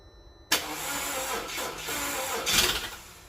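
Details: The starter turns the engine over for about three seconds with a busy, even churn, but it never catches. The engine cranks without starting.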